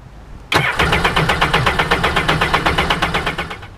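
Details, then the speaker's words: 2005 Sea-Doo GTX 185 4-TEC 1503 engine after valve replacement, cranked in drown mode: starter turns over with about four even compression pulses a second without firing; normal balanced cranking. "I'm going to crank it over a few times in drown mode."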